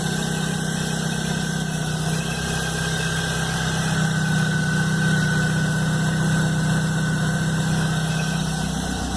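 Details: Chevrolet Blazer at cold-start idle, noise first heard the morning after a mechanic replaced the timing belt and upper belt: loud constant droning hum over a quick, even pulsing; source unknown.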